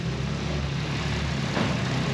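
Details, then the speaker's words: Freshly fitted 1JZ six-cylinder with stock cams at first startup, oil pressure present, wideband reading a bit rich: even, settled idle with smooth low hum, no tapping or stumbling; running cleanly. "Sounds super nice. Sounds very smooth."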